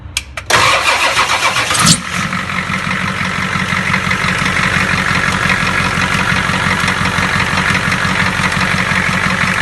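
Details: 7.3 diesel after replacing a faulty fuel injector that caused a tapping sound: starts cleanly, then steady, even diesel clatter at idle with no tapping; normal.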